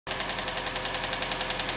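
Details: 1999 Toyota RAV4 at idle: a fast, even ticking of about eight to nine clicks a second over a steady idle, a top-end tick whose cause is not yet pinned down.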